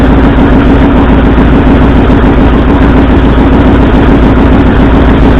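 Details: 1964 Ford F100 V8 at idle: a loud, uneven, lumpy beat with dropped pulses; plug-wire rpm-drop testing shows the driver-side front and passenger-side second cylinders are not firing, a two-cylinder misfire.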